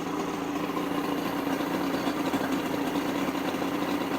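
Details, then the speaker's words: 1976 Mercury 115 HP straight-six outboard on 1985 Checkmate speedboat after stator change, carb rebuild and wiring repair, started on choke with slight throttle, water from telltales: even, steady smooth idle, no misses or knocks; running healthy. "This is working."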